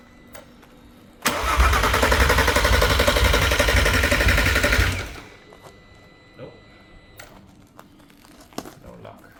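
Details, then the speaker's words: VW R32 engine on the floor for a VW T5 Transporter swap, second start attempt: steady starter cranking about four turns a second for four seconds, never catches; no start, damaged sensor wiring suspected, not confirmed. "So, that's the second attempt. >> Second try. >> Second try. No starting."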